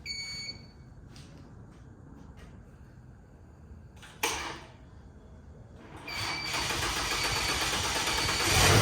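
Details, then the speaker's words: Car being built for the owner's dad, first start after a low battery wouldn't crank it, with a booster box in the trunk: some clatter, then it fires and builds to a smooth, steady, healthy run with no knocking or stumbling. "Yeah! Let's go! Alright. That sounds really good. It sounds healthy. It sounds really good."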